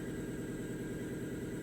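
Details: 2005 Ford Mustang 4.0L V6 with P1233 and O2 monitors not completing, idling during drive-cycle setup: even steady idle, smooth regular beat, no misses or knocks; sounds healthy.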